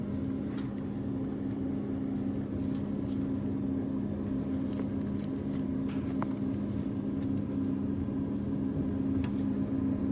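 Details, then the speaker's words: Whirlpool refrigerator not making ice, water valve test calling for water with a tape-wrapped paper clip, door closed: steady low buzz over a faint water hiss as the inlet valve fills the ice maker mold normally. "So, this test checks your water valve. As you see, water went into the ice maker."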